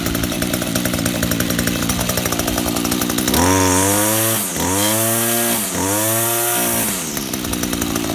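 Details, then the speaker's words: Serviced Echo GT-2000 curved-shaft two-stroke trimmer with new genuine Zama carburetor, spark plug and air filter: starts after a buzzy spell, revs cleanly in three smooth blips, settles to even idle with clutch disengaged; runs healthy. "So we'll start it up, show you how it runs. It runs very easy. Has a clutch, so you can walk by the trimmer head while it's idling."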